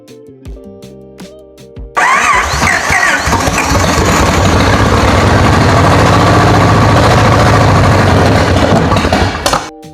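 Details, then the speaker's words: 1946 Plymouth P15 six during restoration, fresh fully synthetic oil plus friction additive, restarted after cylinder 1 and 6 ignition wires were swapped to cure a backfire: quick crank, catches, settles into even steady run with no pops; finally running right. "Fire it up again. This engine, finally running right."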